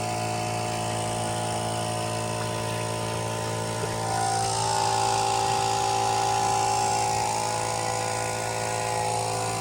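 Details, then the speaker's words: DIY turbocharged AWD Subaru engine running, heard in the engine bay: a steady drone with a heavy regular knock about four times a second. Severe engine knock; it needs shutting down. "knocking mad dude stop you're it's gonna grenade right here"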